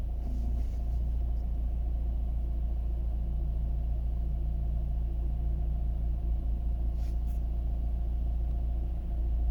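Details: Vauxhall/Opel Astra J 1.7 CDTI diesel after fuel pressure regulator cleaning (temporary idle fix): low, steady rumble at idle, even beat, no misses, surges or hunting; normal idle.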